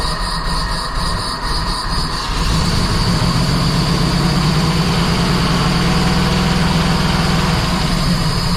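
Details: 1977 Jeep CJ7, 350 small block Chevy, Holley Atomic EFI TBI, suddenly sputtering with power loss; after new Bosch O2 sensor and tightening loose exhaust manifold bolts, idle set near 14.0 AFR: catches and settles into lumpy, irregular rough idle; cause not yet found, timing chain questioned.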